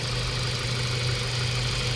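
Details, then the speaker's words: Mazda 3 1.6 running after cylinder head work for low compression and vibration, with crankcase and wrong-size crankshaft oil seal leaks fixed: steady, even idle hum, low constant tone, no knocks, misses or rattles; smooth, healthy running. "Yan so Ayan umaandar yyung ah Mazda tree natin Tingnan niyo mga boss matining naandar niyan"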